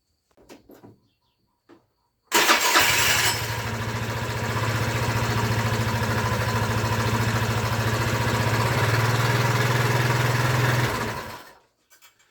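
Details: Scooter that would not start on the starter, after spacers were fitted between the variator cover bolts: starter spins, engine fires at once and holds an even steady putter about nine seconds; electric start now works.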